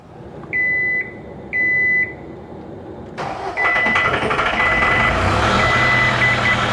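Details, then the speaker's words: 2010 John Deere 320D with 4024 diesel, previously hard to start cold and no-start when hot, restarted hot after repair: warning beeps, very short crank, catches almost instantly and runs steady; belt still squeals on startup; normal hot restart. "Yeah, almost instantly. I'm pretty happy with that. I think we actually fixed the problem on this."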